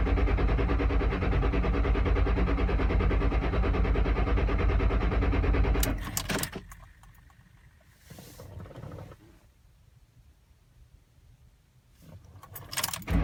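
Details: 2007 Mustang Shelby GT-H, intermittent hard start mostly on cold mornings or nights; about six seconds of even starter cranking at roughly three beats a second that stops without catching.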